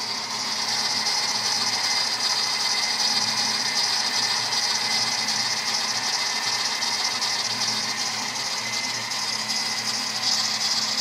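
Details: 1997 Mustang Cobra, 120k miles, otherwise runs great: steady piercing high squeal over the engine, louder at cold start, rising with rpm, quieter once warm but never fully disappearing.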